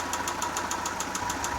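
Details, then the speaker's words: Daewoo Lanos 1.5: sharp metallic knocks, about seven per second, over a steady idle and worse when revving; replacing all hydraulic lifters did not stop it; with the cylinder head removed, a damaged piston was found. "Застучало что-то. Сейчас вот заведу. Послушайте. Вот, стучит. Сначала подумал, что компенсаторы. Взял, вот, поменял все компенсаторы. Стук не ушел. Когда газуешь, еще вот хуже. Тарабанит."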